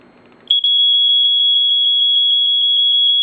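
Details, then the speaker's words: First Alert SA120 smoke alarm (EscapeLight model) test with the cover on: a loud, piercing tone pulsing very fast, about six pulses a second, with off-time even shorter than the SA80FC's. The alarm is sounding normally. "okay well the pulsing it pulses I don't know how well you can hear it does pulse but the off time is very very short like even shorter than the sa80 FC"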